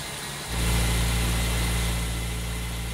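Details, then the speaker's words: Older automatic car at normal idle after replacing the cracked, worn alternator belt (number 1180) and power steering belt; the former belt squeal is gone, and the engine settles into a smooth, even idle with no squeal or chirp. "faço para trocar a correia Ó cadê aquela barulheira graxeira sumiu não tem mais não o pastor trocar a correia sumiu aquela barulheira aí ó"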